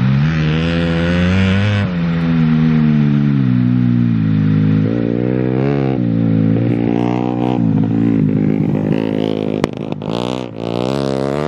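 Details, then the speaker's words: Bike ridden on a frozen lake: single revs hard, then breaks up and stutters at about 6000 rpm, a choppy cut-in-cut-out like a two-step limiter; fuelling-type misfire, cause unknown, could not be fixed on the dyno. "well uh the bike is not really happy it has this like stutter at like 6000 rpm it almost sounds like two-step and uh we couldn't get it fixed on the dyn"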